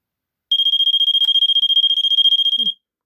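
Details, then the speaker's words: Vulcan MK V1B Autosonic photoelectric smoke detector from 1986, dusty inside, tested with its cover off: a shrill high beep pulsing about twelve times a second for two seconds, then silence. Normal test alarm. "now I'm going to just test it without the cover on and see what happens"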